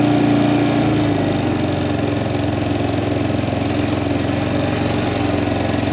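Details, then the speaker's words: Kawasaki Prairie 400 ATV after engine rebuild, riding test, camera on magnetic base: even, steady single-cylinder thrum under way, no knocks, misses or rattles; running awesome, float still needs adjusting. "so it's running awesome as you guys can see"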